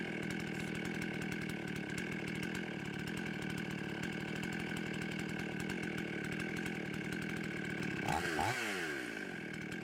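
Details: Husqvarna 55 chainsaw after repair of the carburetor gasket air leak and retuning, warmed up: a high, steady, even buzz at about 13,000 rpm with the high jet at maximum richness, no surging or hunting, then a brief rev change. Running healthy.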